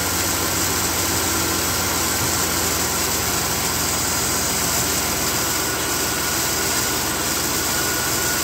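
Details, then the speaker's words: 2003 Dodge Dakota after replacing the failed, disintegrating AC clutch: restarted to check charging, steady even idle with constant hum and no knocks, ticks or squeals; AC afterwards found to have no refrigerant. "So what we're gonna do now is start the thing up and make sure it's charging and that it's nice and quiet. And then we'll put the rest of this stuff back together. Nice and quiet."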